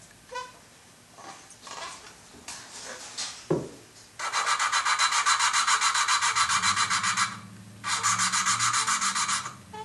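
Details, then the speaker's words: Volvo S70 2.4T used cylinder head, re-lapping valves by hand with suction cup and grinding compound: gritty back-and-forth grinding that should be continued until the noise goes away as the seat mates and gets smoother. "ever notice how you can hear that gritty grinding well you pretty much want to laugh the Val until that noise goes away"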